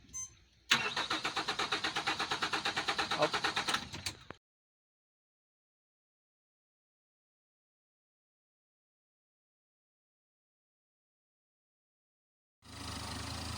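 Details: Honda 130 outboard after hard-starting fix (fuel injectors and vapor separator tank cleaned, fuel filter and water separator replaced): about three seconds of steady cranking, then catches and runs smoothly; normal start.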